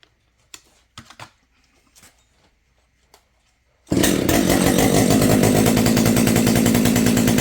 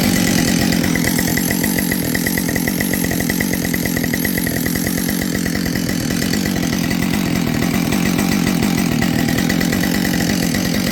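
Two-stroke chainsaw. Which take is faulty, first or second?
second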